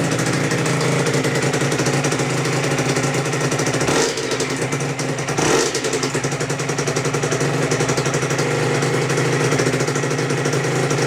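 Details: Aprilia RS125, Rotax 122 two-stroke, first start after full rebuild with new balance shaft gears: idling and two blips, constant high whine over the rattle through the revs; owner assumes the tight-meshing new balance shaft gears are wearing in, whine later receded.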